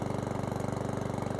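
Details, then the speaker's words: Certified 150cc lawnmower single-cylinder engine idling after an oil change: steady, regular putter at roughly fifteen firings a second with no misses, no exhaust smoke; idles healthily. "seems to be running okay."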